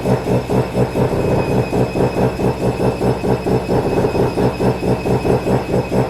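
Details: Mazda FD RX7 RS Series 8 bridgeport rotary with Hypergear T51R single-turbo conversion, first start, untuned, open dump with no muffler: very loud, choppy idle thumping about twice a second with harsh raw rasp.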